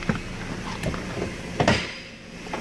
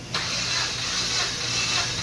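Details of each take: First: Dodge Caliber 2.0-litre four-cylinder, towed in with codes P0303, P2174, P0218, P0335, idles rough and shaking with a lumpy beat under intake hiss; misfire suspected in cylinder 3 despite a new coil, fixed by replacing two injectors. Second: Dodge Caliber with misfire (codes P0303, P2174, P0218, P0335) cranking for cylinder 4 compression test, about seven revolutions: steady even cranking with hissing, no drag; reads 150 PSI; later fixed by replacing two injectors.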